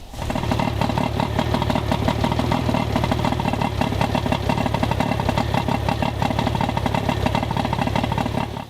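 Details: Johnson outboard with rough running, warmed up at idle for an ignition timing check (spec about 3° BTDC ±1). Steady but choppy, uneven idle with irregular misfire-like stumbles.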